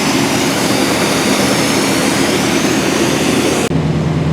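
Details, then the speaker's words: '88-'98 Chevy/GMC 350 small-block V8 at 106,000 miles, after new spark plugs, wires, cap and rotor, 45 psi oil pressure, no check engine light: loud, steady, even idle with fan whoosh, no misfire or ticking; running well. "Idle's pretty good, so I would say that did a pretty good job."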